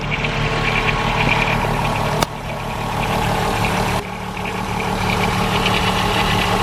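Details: VW Golf 4 VR6 2.8 L V6 idling: light fast metallic rattle from a worn timing chain, worse as the engine warms, recorded before chain replacement.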